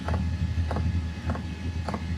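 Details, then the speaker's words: Sunster/SunChaser HTB1 diesel air heater at startup, output still under 200 watts: crisp ticks roughly every 0.6 seconds over a low steady heater hum, the dosing fuel pump clicking audibly. "Two things we're looking for here is how high that output goes and the sound of the pump when it gets going. And so I'm sure you can hear that pump going now."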